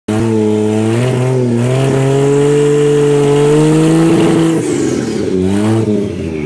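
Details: 1JZ swap in FC3S chassis that won't boost; revs climb, then the note stumbles and breaks up as load comes on, a stuttering misfire; fixed by grounding the neutral safety switch.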